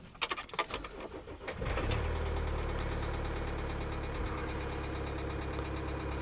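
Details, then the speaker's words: 2008 Kia Sedona 2.9 CRDi diesel (engine code J3) heard cranking, catching, then a rough idle with a hard, uneven knock; bad engine knock, cause not confirmed. Check engine and airbag lights on; code P0016. "i'll actually let you hear the engine that's a bad knock anyway put that off at the moment"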